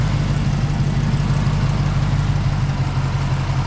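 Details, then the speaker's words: 06-10 Dodge Charger with 6.1 Hemi V8 at idle; smooth, even low idle with steady deep burble and no ticking or knocking; healthy engine. "all right let's listen to that engine guys so this is what a healthy 61 hemi sounds"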